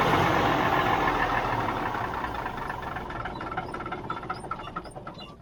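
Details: 1977 Mack R model diesel truck, about 45 years old: even starter cranking at about four beats a second, fading off without ever catching, with the accelerator slightly pressed. The owner suspects no fuel is arriving.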